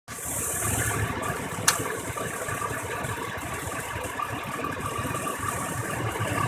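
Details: 5.3L (5300) Vortec V8: a fast mechanical rattle over an uneven idle from 3 of 8 spark plugs so loose they shook, causing misfire and hard starting; tightening them reduced the misfire.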